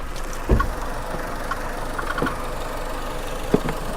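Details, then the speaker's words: Car from storage, jump-started with very dead battery, put in gear: steady idle with irregular light clunks every second or two; owner thinks it sounds like a pulley rattling, source unconfirmed. "now it does make this weird little noise sound like a pulley rattling but I don't know"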